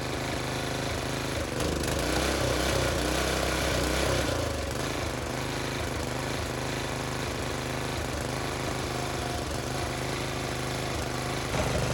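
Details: Briggs and Stratton tiller engine with new China-made carburetor, spark plug, air filter and fuel line, idle screw adjusted: single-cylinder chugs at a fast fairly steady beat, picking up briefly then settling; runs cleanly, healthy.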